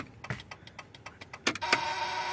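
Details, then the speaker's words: 1994–1997 Honda Accord after fitting an aftermarket LED turn signal: fast, light ticking at four to five clicks a second, quicker than normal; hyperflash because the other side has no working bulb. Owner plans to change the turn signal relay. "So I'll fix this problem soon. What I need to do is my turn signal relay, I need to change it. The one I just changed to an LED one."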